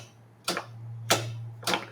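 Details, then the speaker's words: Metal lathe guard micro switch: three crisp clicks half a second apart over faint hum; in the off position the lathe won't run, in the down position it runs; switch snapping cleanly. "hear that that it's working. So, that's in the off position. lathe will not go. And with that in the down position, the lathe runs."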